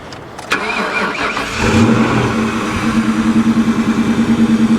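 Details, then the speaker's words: Salvage auction car at 165,248 miles with a fully charged 12 V battery: starts quickly and settles to a steady, even idle that sounds decent, despite service engine soon, airbag and brake lights and no brake pedal. "not too shabby sounds decent"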